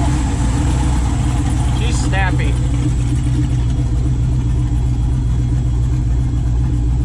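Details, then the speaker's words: Chevy S10 with freshly rebuilt 408 stroker LS V8 (crank previously bent) at idle: deep, steady, even firm rumble, no knocks or ticks; good oil pressure, O2 sensor issue unresolved; sounds quiet and smooth, normal idle. "everything sounds good it sounds quiet engine sounds smooth"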